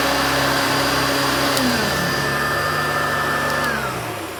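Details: Hoover Turbopower Junior U1222 upright vacuum, little-used example that had seized on its pivots, running: smooth, steady motor hum, no rattle or bearing growl, then an even spin-down; sounds better than the other U1222, healthy motor.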